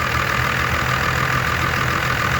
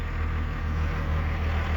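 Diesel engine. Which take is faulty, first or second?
first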